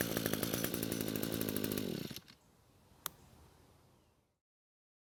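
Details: Echo string trimmer, which the owner said ran on canned engineered fuel, run on the mechanic's own fuel before repair: a crisp, even two-stroke buzz, then shut off. It runs fine, though the fuel lines and fuel tank grommet are faulty.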